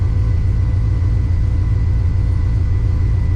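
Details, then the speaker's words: Owner-built V8 street car (own cam, heads and oil pump), warm idle; coolant hit 200°F then dropped to about 194–196 once the fan kicked on, and it usually cruises near 190; a deep, smooth, steady rumble with no knocks or misses; healthy warm idle. "Sitting here idling. It went up to 200 and then back down to 196 pretty quick once the fan kicked on."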